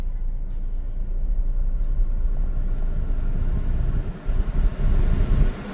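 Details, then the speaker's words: 2013 Chevy Malibu, 98,062 miles, warming up after a cold start with the AC on, after MAF sensor cleaning. Low, even rumble with only slight rev drift, steadier than the up-and-down idle before: normal warm-up idle with air conditioning on. "It's definitely doing a lot better than it was before I sprayed the MAF sensor cleaner. It was up and down, like it's pretty steady."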